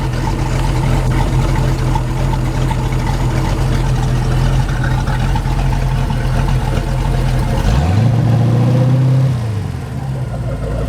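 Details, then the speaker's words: Mercruiser 383 Magnum stroker multi-port injected marine V8, under 40 hours: even steady idle with faint injector click, then a quick throttle blip rising and falling smoothly; no missed beats, runs like new. "she's real snappy runs perfect just like it should don't miss a beat"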